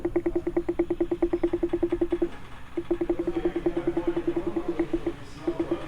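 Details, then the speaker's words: Honda Civic G10 at its 100,000 service, microphone held close to the suspension: rapid, even knocking about nine times a second in short bursts from a worn sway bar end link. "então o barulho está aqui é a nega tá bom esse carro aqui é o seguinte essa Bíblia até original ainda essa daqui já foi trocada Então é só trocar essa Beretta e o barulho vai parar problema simples e já vai ser resolvido"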